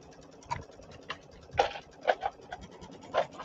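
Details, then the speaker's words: Embroidery machine stitching an in-the-hoop ironing pad, needle possibly due for changing: light irregular ticking and soft needle thumps at about two per second, no grinding; normal stitching. "doesn't sound too bad looks like it's sewing okay so you should be all right"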